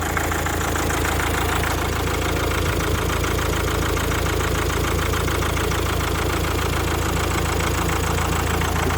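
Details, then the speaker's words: 2004 Mazda 6 2.0 MZR-CD diesel, freshly installed replacement engine: idle starts even, then begins surging up and down; no check-engine light, and it smoothed out later; the engine had sat a long time, so it may just need run time. "Зараз рівненько працює. Все, почало підкручувати."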